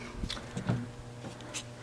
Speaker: But I don't want to leave it on because it makes a weird humming sound. And I know that that's okay because the magnet's fine.